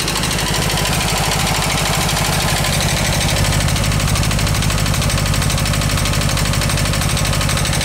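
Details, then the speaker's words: Air-cooled VW Bus engine rescued from a garage, cold start: lumpy, uneven idle with loud tapping and irregular popping back through the carb, a weak cylinder firing only now and then; intermittent misfire, burnt valve suspected. "juding by the way that's popping through the carb has a burnt valve you can hear it kind of kicking in"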